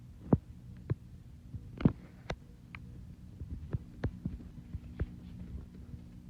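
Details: Hunter ceiling fan in a home office, running slow: low hum with uneven soft thumps every second or two; throbbing hum, cause unclear.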